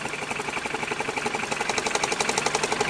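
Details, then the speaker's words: High-mileage ex-police BMW G31 5 Series Touring with a coolant leak, idling near operating temperature: steady light tapping, about four taps a second, coming and going over a smooth engine hum; an intermittent tap at idle, cause not yet found. "I don't see it dripping anymore. But I can constantly hear some tapping noises."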